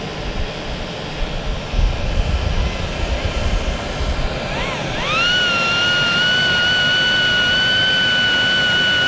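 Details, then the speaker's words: 2 kW Chinese diesel air heater on ten bars of its controller, air heated from 18°C to about 106–107°C: burner roar settles as the blower whine climbs, then holds a steady even pitch; normal running. "okay there's the heater running it why they're running it ten bars on the little controller"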